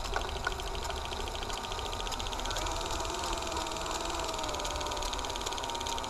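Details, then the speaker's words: Hi8/Digital8 tape with mold from poor storage, rewinding on rewinder with hand tension: steady whir with fast dry crackle like masking tape as moldy stuck tape peels apart; not shedding yet but trying to rip. "we are in the mole territory I can hear it rip coming off we haven't shed yet but it's trying"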